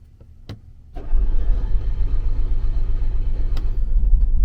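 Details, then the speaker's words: RV generator that has sat a while, another start attempt: quiet, then a low churning at about four turns a second that never catches; it cranks but won't start. The owner suspects it needs re-priming, cause unconfirmed. "And it has been sitting a while, so maybe I need to prime it again."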